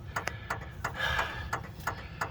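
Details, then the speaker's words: Old Aquamaster fountain control panel, possibly damaged by a lightning strike or power surge; the timer gives sharp, unevenly spaced clicks about every third of a second with a brief buzz, at the same cadence the light contactor had been cycling. Irregular clicking timer, fault unknown. "just making weird noises at the same cadence as the light contactor was going in and out."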